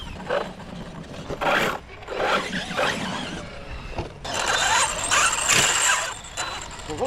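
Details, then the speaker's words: ARRMA Kraton 6S RC truck after a hard bash session, with power not reaching the wheels properly: a crunchy ratcheting grind in bursts each time it is driven, from a damaged, binding differential (rear diff checked first). "Definitely something with the diffs. Something sounds a little off. Sounding a little crunchy. I don't know. Sounds like a dip."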